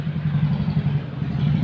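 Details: Maruti Suzuki Omni with a starting problem: a low, steady churning from the starter with no firing or pickup in speed; the engine cranks but won't start.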